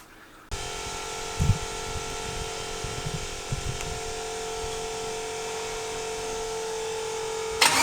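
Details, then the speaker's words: V8 on its first drive with a burnt-off plug wire, not running on all 8: steady high tone over an uneven, missing idle with irregular low thumps early on. It wouldn't idle however much fuel was removed in tuning. "It didn't sound like it was running on all 8 either. That would be enough. That would cause the party that we're having, I think. Which means, like, no matter how much fuel I took out of it, it still didn't want to idle."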